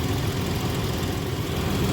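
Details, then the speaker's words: 1982 Ford Granada coupe after repairing exhaust leaks: steady even low idle rumble with no puffing, ticking or hissing, exhaust sealed and quiet. "you can see the car is quiet the leaks are free and everything seems pretty good"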